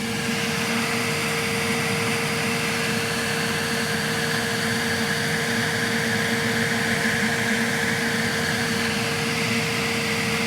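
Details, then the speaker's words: Elegoo Centauri Carbon 3D printer, new, during initial setup after vibration calibration, entering automatic leveling, door open, mic inside: loud steady airy rush with constant mid-pitched hum, part cooling fan at full speed, owner unsure if it's a fan test; normal. "I don't know if it's testing the fan or why it turned on the fan to full, but there's a lot of air flow coming out."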